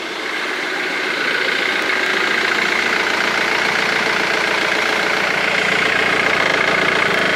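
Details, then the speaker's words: Ford Mondeo 2.0 TDCi diesel restarted after replacing five dead hydraulic lifters (four exhaust, one intake): a steady, even idle with no ticking from the top end. The noise is gone. "lui aucun bruit donc c'était bien des poussoirs hydraulique qui était mort cinq côtés quatre côté échappement et un côté admission"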